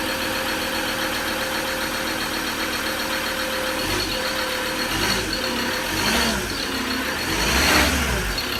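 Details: Recently bought Ford Ranger diesel that nearly caught fire, with leaking injectors: steady airy hiss over the idle clatter, swelling with small throttle blips.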